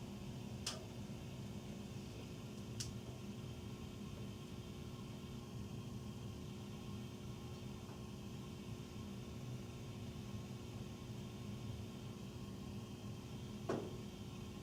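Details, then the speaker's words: Furnace running after 10 PM (08-20-14), heard in the utility room. A steady low roar and faint hum with a few sharp ticks, and tiny water-dripping sounds are noted. The furnace is loud and the cause is unclear. "Between the loud noise, there's tiny noise. Oh, this is loud. There's tiny water dripping noise."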